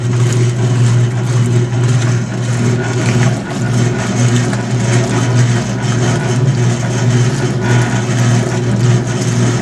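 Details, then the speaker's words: Maytag E2L wringer washer with a new motor cord, agitator running a test wash: steady low churning drone with an uneven swish about once a second; mechanism somewhat noisy, owner wants fresh oil or grease, cause unconfirmed. "a little bit of noise from the mechanism I'd like to put some fresh oil or grease in it"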